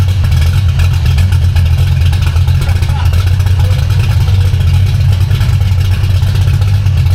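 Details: V8 car with a B451 cam and new Spintech mufflers (replacing Jones) with turndowns, after driveshaft damage to its exhaust was repaired; not yet warmed up. Deep, even idle rumble with a steady lope and revs, no knocks or ticks. Normal idle and revs.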